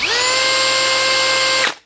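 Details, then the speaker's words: Hitachi (HiKOKI) DV18DBXL brushless cordless drill after replacing the faulty trigger switch: motor spins up quickly to a clean, steady high whine with no jumping or stutter, then winds down smoothly; runs smoothly through the speeds, repair successful. "Perfect. She's run smoothly up through the speeds as you pull the trigger. Shouldn't be jumping at all."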